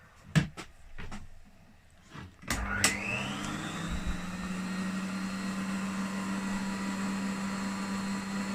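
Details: Rare 1980s Hoover upright vacuum on its minimum power setting, drawing about 325 watts: the motor spins up with a rising whine, then a steady, even hum with no rattle, running normally.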